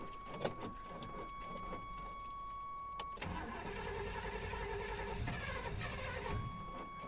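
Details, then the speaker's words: 1988 GMC Sierra short bed with a carb-swapped 350 V8, headers, Rock intake and a clacky electric fuel pump just hooked up: long uneven cranking catches briefly, then stumbles into a rough, unsteady run. Hard start, cause not clear. "well something's happening that doesn't sound very good"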